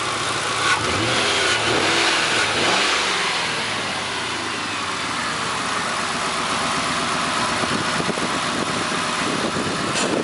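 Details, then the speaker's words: 1999 Grand Marquis P71 4.6 V8 ice-cream truck revs and returns to an even idle with no stumble or shake after a cold-weather misfire was traced to a rubber boot with a broken clip. "yeah her uh she's not shaking no more everything seems to be leveled out"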